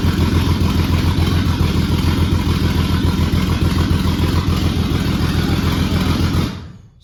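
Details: Turbo-swapped 1989 Ford Thunderbird Super Coupe on a Holley Terminator X base calibration, 97 F-150 crank/cam sensors, mismatched heads and block, LS coils and injectors, coolant 95°: deep, rhythmic, steady low-pitched idle pulse before cutting off; running evenly and healthy.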